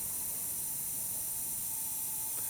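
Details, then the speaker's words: Used VW TDI PD engine, broken timing belt, leak-down test at 60 psi with engine off: steady high airy hiss, high cylinder leakage. "So that is showing high cylinder leakage."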